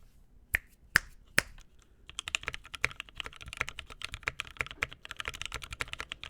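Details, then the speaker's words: Rebuilt mechanical keyboard with a new POM plate and Mint switches, recorded close up: crisp, even clacks from steady typing, each keystroke clean with no rattle or ping; sounds much better than before the rebuild. "no rattle we're good [Music] awesome that sounds much much better awesome okay I feel much better about this board now"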